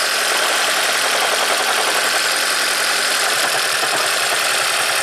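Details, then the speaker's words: 2010 Toyota Prius after owner's DIY head gasket replacement and many parts swapped, code P0304 cylinder 4 misfire; started with ignition coils unbolted for spark check: harsh, stumbling, jackhammer-like run with irregular missing beats, severe misfire. "Alright, let's fire this baby up. Oh, it's not happy."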